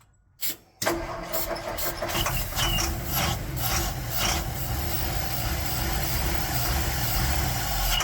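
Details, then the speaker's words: 1960 Ford F100 no-start, not driven in a long time, run on starter fluid to check spark and compression: short crank, catches and runs with rough, uneven rumble; fuel delivery problem suspected, tank sender unit under suspicion. "All right, so it will run, so I just got to figure out what's our fuel delivery problem."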